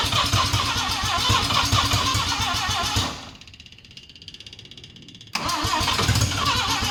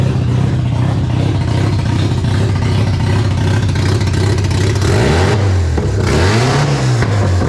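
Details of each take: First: Mazda RX7 12A rotary barn find that sat for years, choke zip-tied open, roars on starting-fluid spray, sags almost to stalling, then catches. It runs only on starting fluid despite fuel in the carb; owner suspects the carburetor. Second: Mazda RX7 barn-find 12A rotary, carbureted, sitting for years, first startup after revival (carb flooding from suspected stuck needle and seat, small coolant drip): smooth buzzy note climbing and falling cleanly through free revs, no knocks; healthy until fuel runs out.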